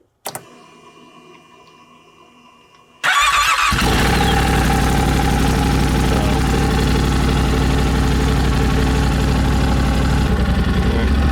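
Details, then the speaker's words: 2023 Yamaha Rmax side-by-side after engine rebuild, next day with sheave reinstalled: silence, brief click, engine catches immediately and settles into a strong, even idle with no knocks or misses; fires right up, healthy. "But it fires right up and we're good to go."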